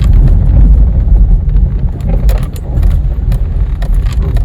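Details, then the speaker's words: 2011 Kia Rio 2 (JB) driven slowly over bumps on a cold evening around 0°C: low road rumble and soft thuds with no squeak from the front suspension; the squeak was thought to be from the bump stops, which just needed lubricating. "нормально ничего никаких шумов и лишних нет подвеска теперь у нас не скрипит я думаю что это все дело было в отбойник ах"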